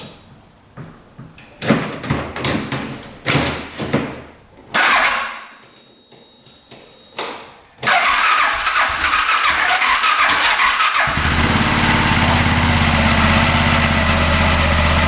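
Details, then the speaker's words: 2022 Massimo T-Boss 750 UTV with wheels jacked up: irregular clanks and cranking, then a steady idle with a repeated clicking traced to inside the engine. "making that clicking noise shoot [Music] that would that sound good so it's definitely in the engine"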